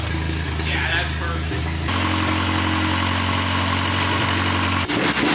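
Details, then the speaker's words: Honda K-series engine idling on a loud open exhaust after new K parts and retiming (timing was quite far off before): smooth, steady idle, pitch steps up briefly then settles evenly with no stumble; timing sounds right, normal idle. "perfect it's obnoxious but that's a hitter that's good it sounds smooth I'm happy with it that's cool"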